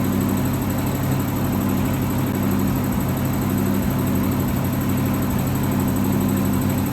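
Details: 1963 AMC Rambler wagon 287 V8 at idle: thin high squeal pulsing each turn over steady idle; left-bank rocker shaft starved of oil after its bolts were mixed up during valve stem seals, rockers dry with metal flakes, metal on metal.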